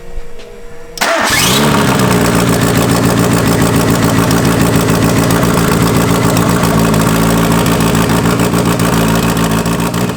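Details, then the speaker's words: Engine first start after correcting cam gears that were 90 degrees off, valve cover on and front timing covers off: a short crank, then it catches at once and settles into a steady, even idle; the water pump pulley fell off. "Yeah. Sick. Sounds like you put a 13B in it."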